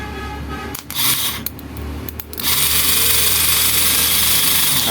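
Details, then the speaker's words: Motorcycle starter motor run on the bench after opening and greasing: smooth, steady high whir, now nearly silent versus the earlier harsh noise, slight residual sound expected to fade as grease spreads. "Friend इसकी जो आवाज है बिल्कुल ही silent हो चुका है क्योंकि जो पहले का जो आवाज था बहुत ही ज्यादा गंदी तरीके से आ रहा था बट इसमें भी अभी भी थोड़ा सा आवाज है"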